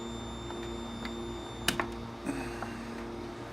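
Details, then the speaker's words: 1981 Atari Tempest arcade PCB under repair: steady high and low buzzing tones with scattered faint ticks from the speaker, not normal game sound, after two data buffer lines were shorted together. "I shorted two lines together on the on the data buffer and it just started making a weird noise in the speaker"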